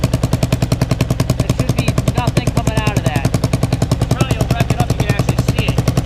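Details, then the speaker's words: Kawasaki KLR650 single-cylinder, warmed up, idling with sharp, evenly spaced exhaust pops about three or four a second; a vacuum leak was first suspected, but the owner now believes it is a leaking exhaust gasket needing replacement. "learn something new every day so it looks like I need a new exhaust gasket I'm assuming because what's going on is all that extra"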